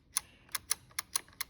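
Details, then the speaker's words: GE QuietPower 3 dishwasher (GLD4500N10WW) with new door interlock switches (WD21X10224) fitted to fix constant beeping: seven crisp, snappy clicks with solid motion on both switches, a normal switch action. "Nice and solid motion on both switches, so we're in good shape."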